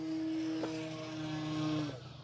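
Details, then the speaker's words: Durafly Carbon Arcus 1000mm RC glider, maiden flight, hard throttle after grass takeoff: steady buzzing hum shifting with throttle, like a meat slicer; something vibrating, cause not yet found. "sounds like some sort of a meat slicer that needs to be [Music] repaired"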